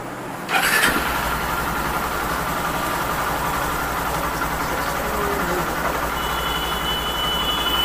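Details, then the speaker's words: Honda Shine 100 BS6 single with CKP sensor fault, code P0335, just cleared by scan tool: one quick crank, catches at once and settles to a steady idle; fault expected to return after 2–3 minutes and stall the bike. "Start है और ये चला भी गया है।"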